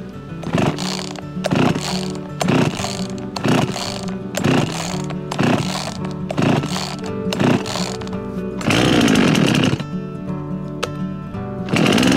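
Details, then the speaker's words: Husqvarna chainsaw bought for $15, after fresh gas with stabilizer, new gapped spark plug and cleaned air filter, choke out: catches and runs in repeated rev bursts about once a second, never settling; rough running, needs carburetor tuning. "Alright, it needs a little tuning but that worked!"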